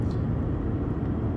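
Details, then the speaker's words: 2006 Mercedes C200 CDI, road test after repairing a faulty front-left stabilizer bar bearing with stripped thread: steady low road rumble, even quiet cabin sound, no vibration or clunks; normal road noise after repair. "Donc ça y est les amis, je viens de faire les essais sur route, la voiture ne fait plus de bruit."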